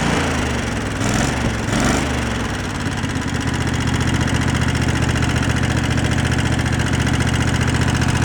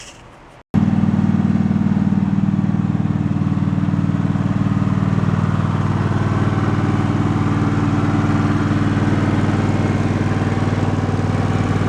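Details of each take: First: Two-cylinder board track motorcycle after idle was turned down and air-fuel mixture adjusted (previously running on one cylinder with idle set high): after a rough start, low idle with quick steady clacking on one side, about four per second; valve clatter. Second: Twin-cylinder engine suspected of a tap, run about 20 minutes (first at fast rpm) in hopes it cures itself: an even, steady beat at constant speed with no tapping or knocking, so it runs normally.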